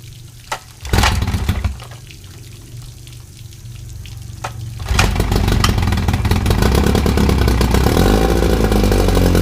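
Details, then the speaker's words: 1959 Evinrude 10 hp two-stroke outboard on flush plate, after magneto ignition rebuild with new points and condensers gapped 0.020 in: catches and idles down to a rapid, even buzz; carburetor may need slight tuning. "So looks like everything is working. We got water flow, so my flush plate is working. So even though it isn't in a barrel, it's idled all the way down."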